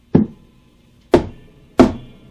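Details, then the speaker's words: Fender Blues Deluxe Reissue guitar amp with new tubes, reverb turned all the way up and the amp tapped: three sharp taps, each answered by a metallic, splashy spring crash that rings out; the spring reverb works normally. "but if I turn it down you don't hear that spring so here's quiet and here's your reverb all the way up it sounds just like a spring that's cuz that's exactly what it is in there"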